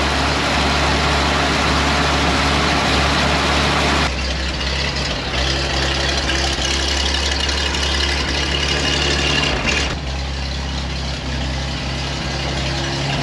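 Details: 1956 GMC 630 fire truck, 503 straight-six with carburetor, rescued off a farm, first start after fuel was poured in to prime it: deep, even rumble at about four beats a second, holding steady, idling cleanly.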